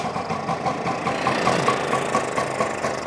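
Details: Vespa with points ignition, spring check: starts very well; light, even two-stroke burble at idle with steady rhythm and no misses or knocks; running cleanly.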